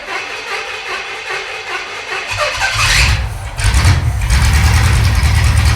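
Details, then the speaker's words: Pontiac T-37 junkyard-rescue engine after advancing ignition timing from about 10 degrees: catches after some cranking and settles into a steady, even idle with firm low rumble, no misses; runs good now. "Okay, runs good now."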